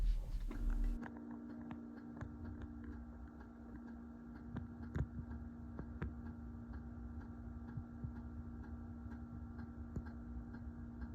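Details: 2021 Winnebago Revel with the furnace heat on: faint, uneven ticks over a steady low hum, heard from the cab, from the diesel furnace fuel pump under the driver's side tapping against its metal bracket.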